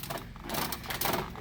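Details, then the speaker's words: Affordaplane TA-1 ultralight with wings just installed and drag cables not yet fitted, shaken by hand after a rivet popped loose while taxiing: uneven dry creaks and short squeaks in bursts from loose, untensioned joints. "the creaking and the squeaking. So don't know if that's a good thing or not."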